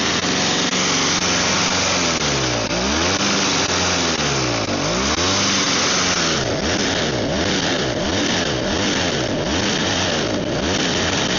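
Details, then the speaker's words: Snow blower small engine that previously ran only on the primer bulb, idle screws adjusted: steady but slightly hunting run, smoking heavily; owner suspects the choke was partly on throughout, running rich until it ran out of fuel. "So, I mean, it smokes a lot, but I think the choke might have partially been on that entire time, so that might have been it."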